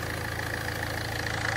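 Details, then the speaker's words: Ford Fiesta 1.4 TDCi diesel after heavy maintenance, oil cooler still to be replaced: quiet, even clatter at a steady rate with no misses or knocks; a healthy idle. "İsterseniz bu videoyu burada bitirelim. Aracımın çalışması gayet güzel."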